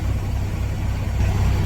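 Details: 2021 Kenworth T680 diesel started after an oil pan replacement: deep, even rumble at a steady idle with no knocks or misses. Oil pressure is at 40 psi with no check-engine lights; an air leak at the airbag is noted.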